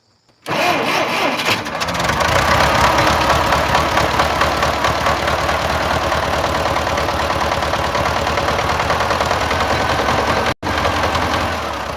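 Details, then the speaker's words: Massey Ferguson Super 90 tractor cold start: cranks briefly, catches easily and settles into a steady rough diesel idle with no knock heard, as the knock seems to come only once the engine is warm. "Yeah, I told it starts up easy. So, the knock uh wasn't able to hear the knock just now seems it comes after the the engine's a little on the warm side."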